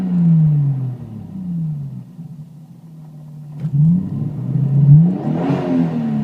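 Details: Toyota Supra MkIV, Japanese-spec twin-turbo six-cylinder: revs sag and surge unevenly instead of climbing cleanly, misfire-like stumble.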